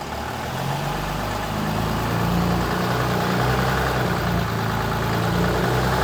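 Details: Dodge Ram one-ton truck in four-wheel drive at about 30 mph after front differential pinion bearing replacement to fix howling; steady low engine drone with no growl or howl from the front differential.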